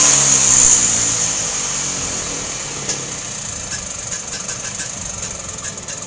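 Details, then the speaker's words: Vespa scooter that was backfiring, fixed by doubling worn condensers: revs fall and settle into a steady, even idle with no popping, light and responsive throttle. "Dan hasilnya lumayanlah sudah bisa lansam. Tarikan juga enteng."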